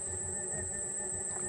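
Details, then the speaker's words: Xiaomi M365 scooter hub motor running normally on all three phases: quiet even hum with a thin high whine, no knocking or grinding, before a phase is disconnected for comparison. "Alors là, c'est le bruit normal, tout va bien, c'est pas trop bruyant."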